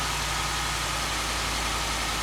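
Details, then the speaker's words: 2015 Ford F-150 4x4, 60,000 miles, wrecked rebuild, first start after sitting on a battery charger: steady, even idle with a smooth low rumble and no ticking or rattle; engine healthy. "good no rattle 60,000 mile truck"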